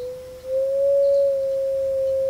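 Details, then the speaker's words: Amplifier fed a clean sine wave from a signal generator, around 500 Hz: steady pure tone with no hum, buzz or crackle, a good clean signal. "So we know that's a good clean signal."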